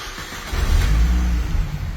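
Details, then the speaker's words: 2007 Mini Cooper S R52 supercharged, previously cranking without starting: it cranks, fires cleanly and revs smoothly with a deep, even note. Fixed by recoding the wrongly coded EWS module and realigning it to the DME. "as you can see, is now running as it should."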